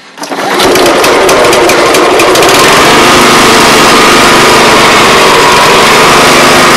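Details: Old Honda Harmony 215 SX mower after carb cleaning, catching quickly and holding a steady, even high-pitched drone while cutting with no misses or surging; healthy running under load.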